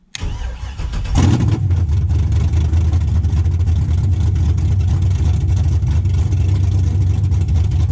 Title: LS swap: First start up